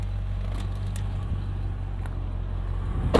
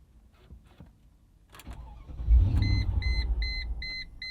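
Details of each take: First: 2000 Mercedes-Benz ML55 AMG idling in park: low, even, steady rumble with no misses, yet in gear it has no power under throttle. Owner suspects wiring, a bad throttle body or a throttle disconnect. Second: 2000 Mercedes-Benz ML55 AMG that has never run right, with interior and parts still unassembled; starter catches and the engine fires with a deep rumble over a chime, then dies within about two seconds. The owner suspects something is disconnected.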